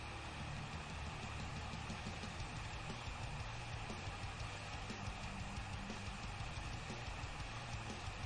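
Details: AMD Radeon RX 5700 XT blower card during benchmarking, fan at high speed: steady, loud rushing air with a low hum underneath and no knocks or rattles. The blower fan is simply spinning flat out.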